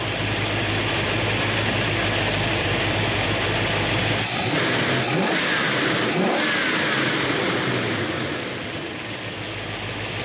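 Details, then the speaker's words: 1966 Mustang idling with vacuum advance from ported spark via a modified vacuum regulator: steady rough busy petrol idle that picks up speed partway as the advance comes in; working as intended. "it just pulls up with the throttle with a Time start uh part spark [Music] port and how I do that so you can hear it speed"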